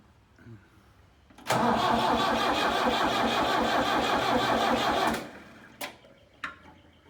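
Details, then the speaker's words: Tractor abandoned three years in a meadow, old battery, fuel line and fuel pump issues: starter cranks evenly about three turns a second for several seconds without catching, no fuel reaching the injectors; fuel starvation. "we're still getting nothing at the injectors you're just going to have to keep cranking and hope we can pull some fuel"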